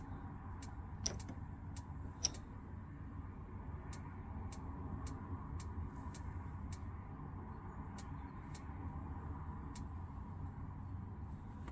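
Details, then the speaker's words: Pre-2012 caravan fridge being lit on gas with the gas valve held in: even igniter clicks just under two per second until the flame lights and the ticking stops; normal ignition. "so once our little igniter at the side there stops ticking we know that that's lit up on the gas and then hopefully as we release our button it should stay lit"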